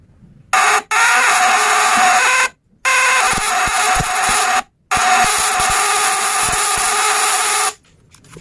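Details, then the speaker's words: Contact-breaker (platina) fish shocker, light setting: three bursts of sharp, loud high buzzing from the points, small spark; breaker still misadjusted. "ini belum pas teman-teman Walaupun kecil Kalau belum pas anget di platina kita besaran suara ketimbang tuh memang besar sekali ini tajam ini suaranya"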